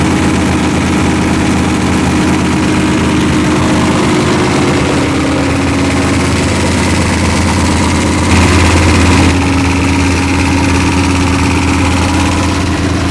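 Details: V8 with forged pistons, idling during run-in near 155°F: loud idle with a deep, uneven knock about three times a second under the lope; suspected worn crank journal, rod bearings 3 and 4 a little loose.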